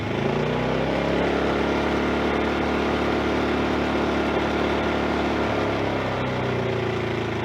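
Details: Champion 2000-watt inverter generator after replacing the broken recoil pull rope: steady even engine drone, no knocks, misses or surging; running smoothly, lights on.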